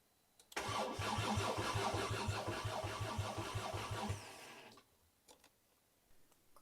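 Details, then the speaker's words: 5-cylinder-swapped Mk2 VW GTI on first start attempt, throttle pedal unconnected, oil leak found, fuel and spark unconfirmed: even starter chug of three to four beats a second for about 3.5 seconds, never firing; crank no-start. "so I don't know if we have fuel I don't know if we have spark I really should have a diagnostic tool with me right no"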